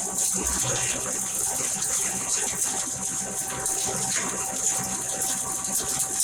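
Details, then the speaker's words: 7.5 hp double-chamber masala pulverizer grinder with cyclone, cyclone and main machine switched on: steady even rush, constant hiss of product and air, no knocks or rubbing; normal running sound. "आवाज normal आवाजामध्ये येणार आहे. बघा, आता मी cyclone चालू करतो, machine चालू झाली, मेन मशीन चालू झाली."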